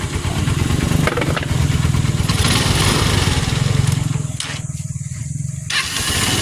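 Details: Honda TMX 125 single-cylinder after fix: faulty stator primary bypassed by converting to a battery-operated CDI fed from the battery or charger (original CDI still good); steady idle with an even beat, no misses, running healthy.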